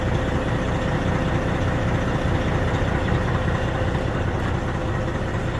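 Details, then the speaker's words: Freightliner truck diesel idling after first start in a couple of weeks, following fitting of a new battery cable: deep, steady, even rumble with no stumbling or knocking; normal idle. "Well, that's a joyful noise. We haven't heard that sound in a couple of weeks, so that's a joyful noise."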